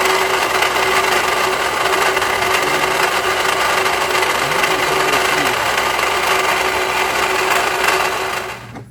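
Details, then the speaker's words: 2016 Toyota RAV4 2AR-FE at idle, 185k miles: fast uneven metallic chatter from belt tensioner pulley sitting cockeyed, belt only partly on it; bearing suspected bad; tensioner and belt replaced. "So that is making quite the noise, and that the upper part of it was just kind of rattling away back and forth."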